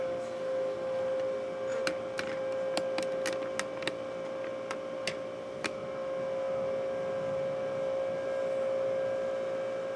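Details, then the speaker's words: Power Mac G5 Quad at first power-on after unboxing, side cover off: steady whirring hum with one constant mid-pitched tone and a few light clicks as fans and water-cooling pumps spin up; loud but normal. "let's push the power button see what happens here sounds like quad g5 to me water blocks spinning up there we got life"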